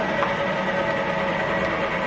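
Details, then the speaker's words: Milling machine spindle started after a power reset, speed dial turned lower: steady even whir, constant mid-pitch tone, louder at lower speed, no knocks or grinding; normal spindle run. "And then I just crank this dial. As it's going lower here, the spindle's going lower."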